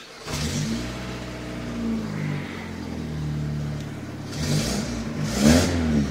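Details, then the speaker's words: Daewoo Lanos after a swap to a 1.4L GM Family 1 engine: a rough, chuffing tractor-like rasp that grows louder as revs climb; exhaust manifold leak from two broken studs, still to be fixed. "the only problem is that still has those two broken studs which something that I have to fix soon because it sounds like a tractor"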